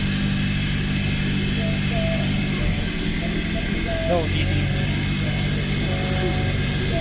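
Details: Suzuki Swift Gen1 petrol engine with code P0011 (timing over-advanced): steady, slightly fast idle with no misses after a new surplus VVT solenoid was fitted; idle still set too high.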